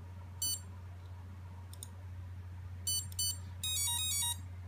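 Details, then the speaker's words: EMAX Nighthawk Pro built-in BLHeli ESC programmed via throttle, active braking set to on: short high beeps, then rising musical tones over a low motor hum. Confirmation that the setting was saved. "and that indicated that it was saved"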